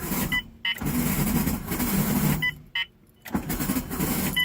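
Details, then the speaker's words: Turbo Honda Civic cranking: harsh metal-on-metal grinding and rattle, starter engages but engine never catches; owner suspects starter, flywheel teeth inspected, cause unconfirmed. "oh see that just sounds horrible that just sounds like metal grinding on metal really hard let me see if i can get it to start though"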